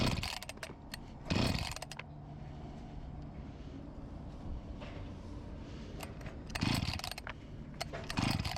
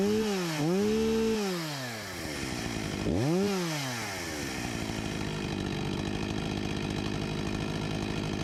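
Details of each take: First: Discarded Husqvarna 254 G chainsaw after fuel line replacement, startup test: runs in uneven spurts with weak, wavering idle that keeps fading; fuel starvation, tank cap O-ring and carburetor membranes then replaced. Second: Husqvarna 254 G two-stroke chainsaw after carburetor refurbishment and new fuel line, idle about 3000 rpm, 13,000+ rpm unloaded: revs sharply twice and falls back to a steady, even idle with no stumbling; running properly.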